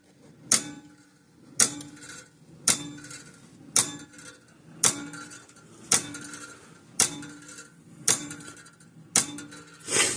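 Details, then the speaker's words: 50+ year old Sears 6 V battery electric fencer after soldering switch contact point: sharp snapping clicks about once a second, even after slow start; charger pulsing, switch suspected intermittent. "And it's working. I think something's intermittent with that switch."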